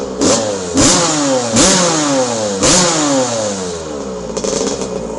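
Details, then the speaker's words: 1982 Honda CR125R starting first kick, warming up with a heavy rider of about 240 lb. Crisp two-stroke blips climb quickly and fall back cleanly, with no bogging or rattle. Runs strong and healthy. "starts first kick and listen to this thing absolute music"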